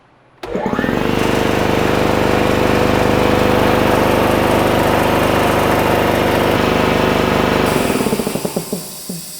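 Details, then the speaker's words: PGEN-50 air compressor at shutoff after reaching correct pressure: steady pounding run cuts off, then short high air hiss as the pressure switch unloads the aftercooler and cylinder head; normal unloader bleed. "once the unit turns off you're gonna hear an air leak that's actually the pressure switch unloading compressor from the after core and from the compressor cylinder head that is totally normal"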